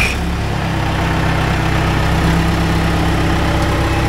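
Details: John Deere G series dozer started after transmission rebuild and installation, fluid being checked: deep, steady diesel rumble with no knocks or misses. Normal idle.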